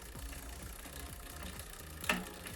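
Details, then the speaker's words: Bicycle rear derailleur adjustment, cable tension increased to maximum while pedaling: quiet rhythmic scraping ticks each pedal stroke as the chain rubs cog number 10 (third smallest); excess cable tension limit. "E aí já começou o barulho então aqui eu cheguei no limite máximo esse limite eu vou estar mostrando para vocês exatamente que o que que eu fiz agora nesse desenho então eu criei esse barulho da corrente raspando na marcha número 10"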